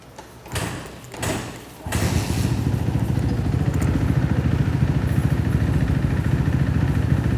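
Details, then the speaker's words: 2014 Kawasaki KX250F water-cooled single, just fitted with an FMF Mega Bomb header and Q4 exhaust with the baffle out, first start cold: a couple of thumps, then a quick, even, deep thumping idle; healthy. "All right, guys, so we just got done putting our FMF Mega Bomb header and Q4 exhaust on. We're gonna fire this puppy up and let you hear what it sounds like."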